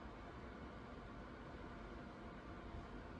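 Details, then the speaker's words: AMD Ryzen 3 3100 overclocked to 4.2GHz, stock AMD Wraith Prism cooler running Cinebench R20 at about 70–72°C. Mic 4 then 2 inches from the case. Steady, even airy whoosh from the fan at full speed, no ticking, rattle or bearing growl. "AMD Ryzen 3 3100, and you guys can hear the fan noise. Again, I'm like 4 inches away from the computer case."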